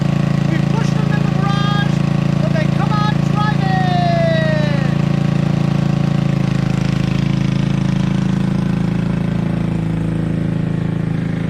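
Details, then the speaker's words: Toro 58-inch professional 3-gang reel riding mower after repair, including unseized blade PTO; steady even low drone with no misses, knocks or hunting, settling into smooth run; started, running, driving and mowing: normal running. "So, there it is. I got it started, running, driving, and mowing."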